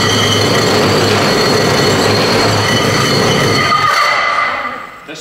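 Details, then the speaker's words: Fully built high-compression BMW M54 first start: loud steady metallic grinding with ringing whine, starter not disengaging; sparks seen underneath, something happened at bottom end. "starter is not disengaging. There was like some sparks that flew underneath and there's something happened on the bottom end."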